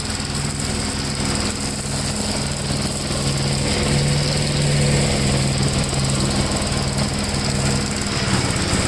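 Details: 1957 Gravely tractor mowing test: steady, even single-cylinder drone holding speed under mowing load, no misses or knocks; runs pretty good, normal running under load.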